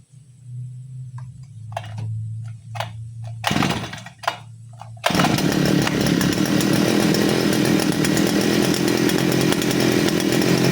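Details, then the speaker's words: Side-mounted brush cutter, carburettor mixture screw under the carb set correctly for string-line use: low slightly uneven idle, then a quick blip to a strong, steady high-revving buzz with crisp response. "Saya akan hidupkan, dan ini adalah setelan yang tepat menurut saya, yaitu setelan menggunakan senar ya. Setelan menggunakan senar, suaranya akan seperti ini."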